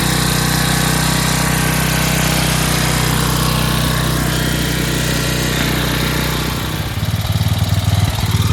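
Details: 11 hp Briggs & Stratton flathead swapped into a riding hauler, magneto kill bypassed; fast, busy buzzy drone, revs too high throughout, not reliable sounding; governor not controlling it.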